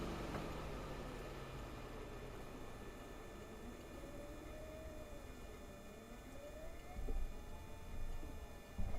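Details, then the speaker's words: Toyota hybrid with a 2.5L engine, recorder inside the engine compartment, shifting from reverse into drive: near-silent electric drive on the motor-generators with a soft warbling pedestrian warning tone starting; normal operation. "And then when I shift into drive, you will hear that pedestrian noise start."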